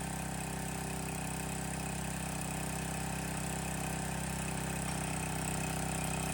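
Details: Landworks 20-ton log splitter, small single-cylinder gas engine just started, loose choke lever creeping toward run: steady, even beat with constant tone, quieter than expected; normal running, slight smoke afterward possibly oil or exhaust-manifold paint burning off.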